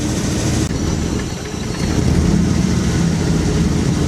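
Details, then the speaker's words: 1963 Chevy Nova, 283 small-block V8, with a timing light on, initial timing advanced from 8 to about 14 degrees and vacuum advance unplugged: lumpy, uneven idle with a deep throb that steadies and picks up slightly as idle is tuned. "This thing's at 8 degrees initial timing. I think we should bump it up. I think I got it at about 14."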